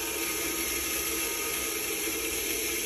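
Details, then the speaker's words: Culligan water softener, regeneration started from the service menu after fixing a stuck brine tank float valve: steady, even rush of running water with no knocks or squeals. This is stage 1, the rinse cycle, programmed for 7 minutes; flow is normal. "Okay, you can hear the water running, so that's 1, and that's on the right is the time. That'll be 7 minutes is what I have it programmed for in the first cycle, which is, in this case, going to be the rinse cycle. It's going to be rinsing the system out."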